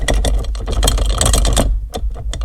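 Quick bursts of rattly metallic clunks over a running engine as the lever moves, suggesting play in the shifter linkage. Cause suspected, not confirmed.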